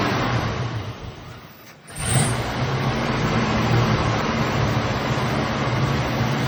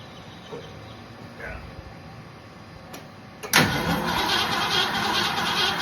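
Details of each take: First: 1965 or 1966 Mustang with a 289, long stored, now with an Edelbrock carburetor, restarted after three pumps of gas: after a brief catch it settles into a steady, even low rumble with a smooth idle and no knocks or misses. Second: 1966 Ford Mustang 289 V8, sitting for decades: the starter cranks it on the key at an even three beats a second with no fire or catch. It cranks but won't start, apparently for lack of fuel.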